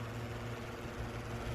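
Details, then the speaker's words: Newly installed attic fan heard from the roof on a humid, roughly 90–95°F day, rain cover not yet fitted: low, steady even hum, no knocks or rattles, little vibration, blowing hot attic air; running normally. "i think i hear it i can hear it working oh yeah it's they're blowing away that's awesome"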